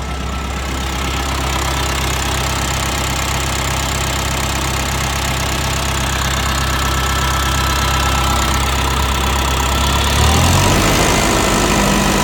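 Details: Diesel tractor idling: steady low thump, slightly uneven and knocky, beat shifting near the end; owner asks whether it's a misfire; uneven idle.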